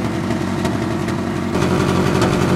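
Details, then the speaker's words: 1994 Ford Ranger idling roughly on an empty tank, left running to run out of gas before 151-proof Everclear goes in; uneven sputter with pops, backfire crackle and stumbles breaking the rhythm — misfire from fuel starvation. "oh that definitely sounds like a sputter all right let's of that something's happening something's"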